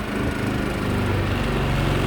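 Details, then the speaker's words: Powerhorse inverter generator for RV boondocking, pull-started by hand after a prior run, electric start not used: small engine catches easily and settles into a steady, even drone with no misses or knocks; normal running. "if you can full start a lawnmower you can easily pull start this generator it's actually got a pretty easy pull on it"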